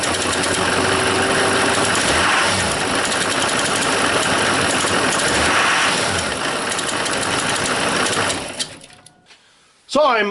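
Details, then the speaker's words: 2002 Chevy 2500HD 6.6 L Duramax diesel with Allison 1000, started and revved: constant hiss and whirr over diesel clatter swelling with revs; belt drive, maybe alternator, suspected but unconfirmed. "I'm going to go in, I'm going to start it up, I'm going to rev it some, and you can hear the noise."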